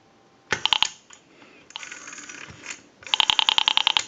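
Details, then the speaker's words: Western Electric 202 rotary desk telephone, listening at the receiver while dialing: sharp clicks about ten per second as the dial returns, pulse clicks not squelched, indicating improper wiring at the rotary dial. "can hear that clicking that's an indication that it's improperly wired at the rotary because it's supposed to squelch that noise the clicking the rotary dial pulse signal it's supposed to squelch that out"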